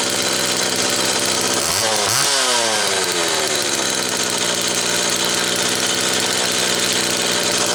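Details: Homelite XL Automatic chainsaw after repair (fuel issue had forced full-choke running; new bar stud), cold morning, engine half warm; started in about six pulls; steady high buzz blips up, settles back cleanly, holds even idle; high speed close enough; normal running.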